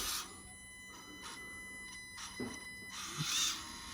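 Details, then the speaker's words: Tiny RC crawler at slow crawl: thin steady high-pitched whine from the competing ESC, versus the silent slow crawl with the Furitek ESC, an ESC-induced motor whine. "And you know, you're always gonna get that nice slow crawl, silent slow crawl with the Furitek ESC versus, hear that whine?"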